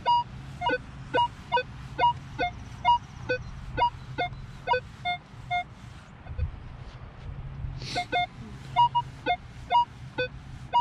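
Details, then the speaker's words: Minelab Equinox 800 with 15-inch coil at 20 kHz, ground balance 54, on a deep silver dime at 12 inches: sharp beeps about once a second as the coil sweeps. It still detects the target, but the target ID jumps down and is unstable. "Holy crap, I can't believe it still gets it at 20 kilohertz. It's jumping way down a little bit though, notice?"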